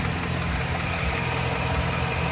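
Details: 2007–2008 Chevy Silverado V8 after lifter replacement: steady, even idle with smooth low rumble, the previous lifter tick (suspected cylinders six and eight) gone.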